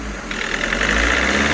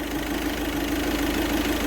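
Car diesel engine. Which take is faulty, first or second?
first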